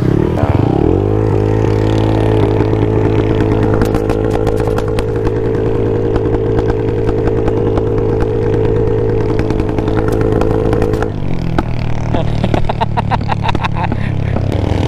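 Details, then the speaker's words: Automatic 155 scooter with aRacer ECU tuned for rolling backfire, open throttle on the road: revs up and holds high, then sharp irregular cracks and pops with flames from the exhaust on overrun; deliberate backfire tune. "Ay hindi pala makikita pero maririnig niyo solid nung putok eh. Lakas eh."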